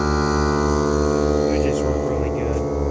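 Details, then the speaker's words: Cordless tire inflators airing up the front tires of a Suburban, two running at once: steady buzzing compressor hum with an even pulse of about four per second, running smoothly; normal operation, airs up quickly. "these things air up really really quick I mean they are freaking the best inflators I've ever had my dad thinks so"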